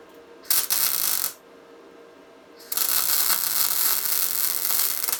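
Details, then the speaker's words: Tesla MIG 260 MIG welder joining two pieces of 3 mm metal, torch held slightly angled: two runs of steady, fine, even fabric-tearing crackle without loud pops or spatter, a correctly set welder. "такий специфіческий звук як потріскування матерії це означає що правильно налаштований апарат немає сильних розбризгувань і чітко йде"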